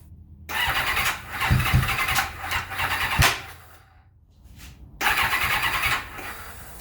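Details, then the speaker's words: 1991 Kawasaki ZXR750 turbo build on Wolf ECU, first starting attempt after reconnecting a plug: uneven, jerky cranking that kicks back on the starter and never catches; cause unknown, owner recalls past crank-trigger signal interference from coil igniters. "okay something not quite right there it's kicking back on the starter motor"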